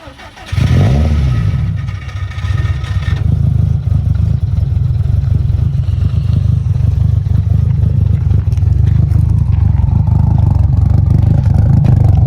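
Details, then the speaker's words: 1000 hp turbocharged engine build at first startup: deep, steady idle with an uneven loping beat, roughly three to four lumps a second, plus a faint whistle from the blow-off valve cracking; healthy engine with lumpy Kelford cams. "Motor's so quiet. Huh? I've never seen one. Cams are a little lumpy, huh? I like them."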